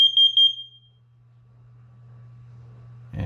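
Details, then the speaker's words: Smoke alarm test button held after replacing the low battery that caused intermittent chirping: a shrill, high-pitched alarm warbles briefly, and all interconnected alarms sound together, showing a normal, working alarm. "just hold it down and you hear that chirp so now all of them are talking to each other"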